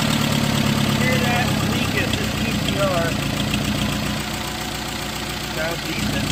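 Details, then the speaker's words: Engine fires after a timing job on an SOHC suicide-swap Neon with swapped sensors and injectors, coolant temp sensor not yet installed; it catches and settles into a steady, even idle under voices; normal first start and idle. "guys so you heard it run we're gonna finish by putting the"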